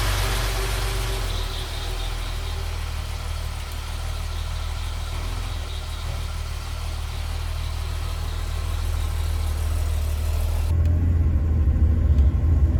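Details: 1975 Jaguar XJ6 six after head rebuild by machine shop, warming up: smooth, steady low idle with even beat, no knocks or ticks; oil pressure about 45-50 psi at temperature, engine healthy.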